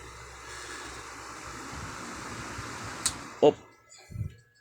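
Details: Repaired stand fan tested on speed settings 1 to 3: even airy whoosh and low motor hum running steadily, then switch clicks as it winds down; running normally after DIY fix.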